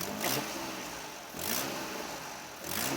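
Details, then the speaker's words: Nissan Skyline GTR R34 V-Spec engine diagnostic: three throttle blips rise cleanly and settle evenly, misfire only at idle, faint hiss underneath; exhaust gasket leak at rear suspected, not confirmed. "that's my educated guess that's that exhaust valve or the excuse me that's the exhaust gasket in the back there"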